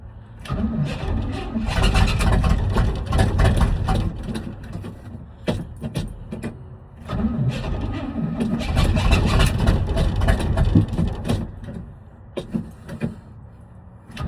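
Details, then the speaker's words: 1979 Chevrolet C30: long starter cranking with a few sputtering catches that never run; spark present but not getting fuel, owner suspects bad fuel pump, weak starter. "Well, I know it's got spark and fire. It's just not getting fuel."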